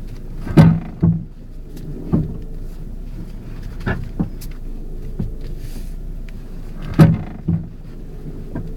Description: The purpose of this video is to diagnose a clunking sound on my Ford Focus car.